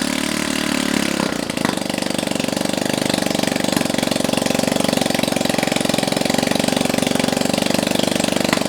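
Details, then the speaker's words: Honda Ruckus-type scooter motor's first start in probably a long time, run with no exhaust fitted and started through a homemade start-button harness: brief crank, then a fast, loud, even popping run from the open port. Healthy running. "now keep in mind that there's no exhaust on this and it's gonna probably sound like popcorn or something popping yep really it just sounds like buttons it'll sound like bubbles popping"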